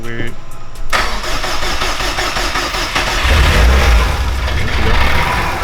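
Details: 2005 Subaru Impreza STi, 800+hp build with 64/66 Precision turbo, FIC injectors, flex fuel, BC cams, oil primed, first startup: cranks, catches, then a lumpy, uneven idle with a wandering beat; rough because the tune is unfinished.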